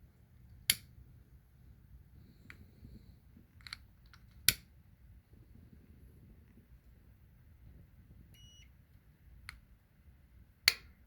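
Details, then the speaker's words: Maytag/Admiral dryer shutting off after 5 minutes/overheating: thermal fuse heated with a flame gives sharp clicks, yet the meter still beeps continuity after clicking, so the fuse is bad. "See, that was a click. And so now it should have no continuity. Now do a continuity test. See, it should have no continuity. You hear it click again? So this fuse is bad."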